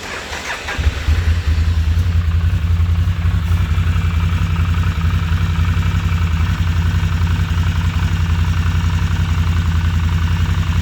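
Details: Can-Am engine after fitting two new pistons to fix piston slap: starts and settles into a steady, deep idle with an even low thrum and no knocking, piston slap gone.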